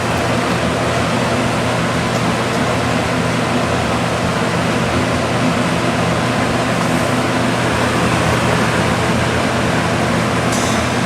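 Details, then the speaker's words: Vintage Lasko box fan, model 4713, 1983–1984 date code, after motor repair, running on high: steady even air rush over a low motor hum, no ticking, smooth with very little wobble; normal running. "it's actually pretty smooth does not wobble very much at all"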